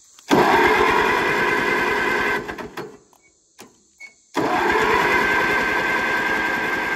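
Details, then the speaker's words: 1945 Allis-Chalmers WD45 four-cylinder gas tractor, sat for many years, after distributor cap cleaning, on full choke: two bursts of slow steady cranking with no firing; no spark and flooded with raw gas, stuck carburetor needle and seat suspected. "got plenty of gas yep it's raw gas okay so we still don't have ignition take a spark plug out definitely flooded without a doubt it's flooded"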